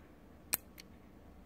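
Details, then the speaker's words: Automotive relay bench-tested off the car with a power probe, switching a bulb load: two crisp sharp clicks about a second apart as the coil pulls in and the bulb lights; normal relay click. "when Kevin presses the button you're going to hear this click and when you hear that click watch the light bulb"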